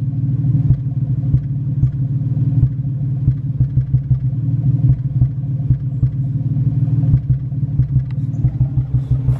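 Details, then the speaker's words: Nissan 350Z petrol engine idling rough with irregular thumps and stumbles, a misfire; after spark plug work, code now reads cylinder 3 instead of cylinder 1, owner suspects a bad coil pack. "you hear that that's the misfire well that was weird the code it gave me was cylinder 3"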